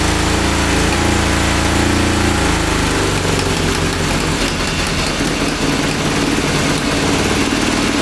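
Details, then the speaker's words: 1982 DOHC Honda CB750 engine in a cross kart, during a brake-cleaner spray check for vacuum leaks: runs rough, then drops into a lumpy, uneven beat and can't hold idle. "i don't think see it goes to idle and it's just not idling we were looking for an rpm spike"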